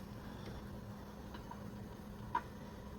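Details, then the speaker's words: Mercury 2.5L EFI outboard fuel injectors, pulled for a hot-soak no-start and suspected fuel injection problem, pulsed in a cleaner: faint sharp clicks about once a second over the cleaner's steady low hum; normal pulsing during cleaning. "This starts them pulsing while they're in the cleaner. So, you're going to hear them just start click click click click click. So, they're going to be pulsing"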